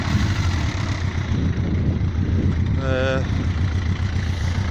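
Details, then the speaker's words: Yamaha XJ900S Diversion, misfire from ethanol supermarket petrol cured: even, low burble ticking over steadily at about 1,000 rpm with no stumbles or misses; clean, healthy idle. "So there we are, the tick overs now, just ticking over, just to bang on 1,000, which is just where I like it. And look at that, it's purring like a kitten."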